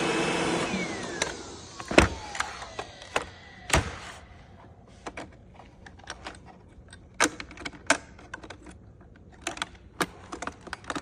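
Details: Brand new iRobot Roomba Combo making irregular sharp clacks and loud rattles over a faint motor hum since out of the box, nothing caught underneath.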